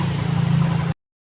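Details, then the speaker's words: Yamaha FZi after aftermarket fuel pump install, wiring polarity corrected and extra ground wire added: steady low even idle, no roughness or misses; bike now runs properly. "So yun lang mga tropa. Ito ay okay na. Umaandar na to."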